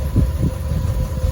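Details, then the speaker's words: Fiat 500 idling, microphone out the window, no dashboard errors: deep idle rumble swelling and dipping unevenly with occasional misfire; lumpy tickover, owner suspects faulty lambda (oxygen) sensor as after-cat reads open loop, not confirmed. "If you can hear the lumpiness of that."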